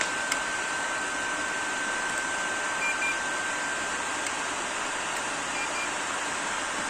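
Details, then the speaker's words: First-revision PS4 Pro running MX-4 thermal paste applied a year earlier, lid left open, a few minutes after a cold start with a game loaded: steady airy rush with a thin constant tone; loud cooling fan spinning up. "Консоль набирає обертів. Можете навіть послухати."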